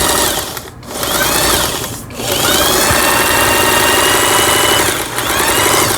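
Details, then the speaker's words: Singer 8280 sewing machine after repair, straight stitching on stretch fabric: quick steady chatter of needle strokes with brief pauses between runs, no knocking or binding; normal running. "이러면은 박음질이 잘 되기 때문에 직선 바느질, 늘어나는 옷감에 박음질을 했고, 이제 두꺼운 옷감에 박음질을 해봐야 되겠죠."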